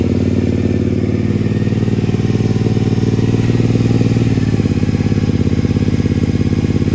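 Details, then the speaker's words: Triumph Speedmaster twin at idle with a deep, loud, lumpy rumble rising briefly on a blip; its original pipes are ear-ringingly loud even with earplugs; recorded before swapping to used pipes. "Before I swap them over, I'm gonna start it up so you can hear what it sounds like. It's loud."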